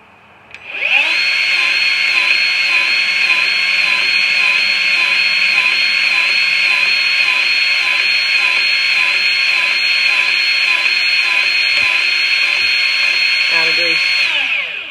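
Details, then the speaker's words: Grease gun while greasing a Ferris IS-3200Z zero-turn mower during spring maintenance; sound turns to a steady, level whine with no pulse, nothing coming out: gun is out of grease and needs refilling. "if you can hear the sound it's not it doesn't have like a pulse anymore it's just constant that means the grease is out of this gun"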